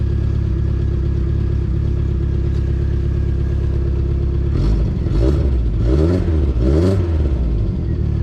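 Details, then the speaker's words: 2.2L non-Ecotec four-cylinder (Sunfire/Cavalier/S-10) after timing chain and crank sensor replacement: deep, uneven wavering flutter at idle and a rough blip when revved; a bent valve is suspected, with a compression check planned. "We might have a bent valve. It don't sound gooder. Sounds like it's still got a little bit of a flutter."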